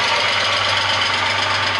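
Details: VW Passat Variant 35i with VR6, started after long storage in a hall, camera held close to the engine: rapid even ticking over a steady idle. Timing chains already done; hydraulic lifters suspected, not confirmed.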